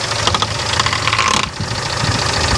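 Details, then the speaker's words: 1995 Daihatsu Feroza first start after oil pump replacement: fast light ticking slaps over the idle, keeping pace with engine speed, as the fan blades clip the long oil pressure gauge line wrapped in front of the fan. "So it was actually, because the oil pressure gauge line is so long, it was actually slightly wrapped in front of the fan."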